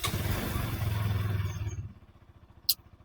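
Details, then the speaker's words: Bajaj Pulsar NS200 after battery replacement: engine fires immediately with quick even thump, no hesitation; normal start. "ಇನ್ನೊಂದ್ಸಲಿ start ಮಾಡೋಣ, ಖುಷಿ ಆಗುತ್ತೆ ಮಾರ್ರೆ."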